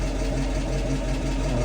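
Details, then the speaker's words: 1966 Mustang after rear half-shaft bearing replacement, differential service and rear disc brake conversion, in drive: smooth, even low hum with no clunk, whine, knock or vibration; the rear end now sounds normal. "well this is a success the international works really nice and quiet no more noise no more vibration everything is super nice feeling really easy"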